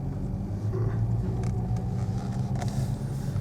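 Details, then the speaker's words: 2007 BMW E91 335i with fault 5DB2 and ABS/DSC warning lights: deep rapid pulsing rumble pulling away slowly as ABS activates falsely; a wheel sensor was first suspected, but the fault proved to involve a wheel bearing. "the ABS is kicking in when it shouldn't so it's almost certainly a do wheel sensor"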